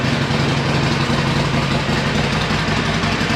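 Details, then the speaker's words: Harley-Davidson Iron 1200 V-twin starting after a dead battery (switch left in accessory) was charged: a loose, lumpy idle, steady without stumbling. It sounds much better and idles healthily. "That sounded much better."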